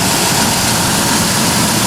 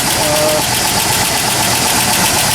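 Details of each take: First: 1997 Ford F150 4.2L, morning start after adding Marvel Mystery Oil, driving, and an oil change: steady, even idle with smooth rumble and hiss. The cold-weather lifter ticking is gone and the valvetrain sounds healthy. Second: 1997 Ford F-150 4.2 L at cold start, about 35°F: quick even ticking about four a second over steady hum, worse when colder; owner suspects lifter noise, plans to add Marvel Mystery Oil before an oil change.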